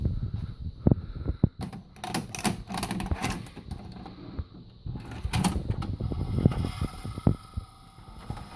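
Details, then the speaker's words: VCR playing a 2002 VHS tape: irregular clicks and clunks over a quiet whirr during playback; a transport mechanism fault, cause unknown. "today i got some weird sound to check when i put in a vcr and it makes a weird noises"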